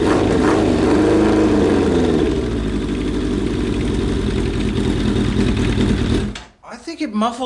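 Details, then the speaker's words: Suzuki Bandit 1200 after fitting a cheap eBay muffler: inline-four catches and settles into a steady, even burble with a slightly muted exhaust note; running fine and a little quieter. "just a little bit it actually quieted"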